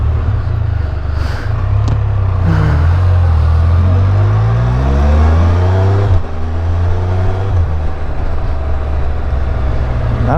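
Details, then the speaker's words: New 2022 Can-Am Spyder F3L, 1330 ACE engine, under 100 miles and not yet broken in, riding. Deep, even rumble with smooth pulls through the gears and no knocks, whines or rattles; exceptionally smooth. Normal running. "only is this thing not making any weird noises it's like exceptionally smooth what they don't even have 100 miles on it yet"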